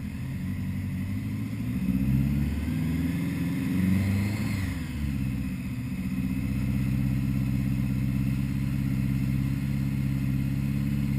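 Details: 1980 Honda Goldwing GL1100 first start after carb rebuild fixing rich running: new idle screws set to 1-1/4 turns, floats set to 15.5mm; smooth, even flat-four burble settling at idle after a blip, no misses.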